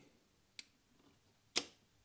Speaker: we hear the relays clicking and we drop to 0.8 suite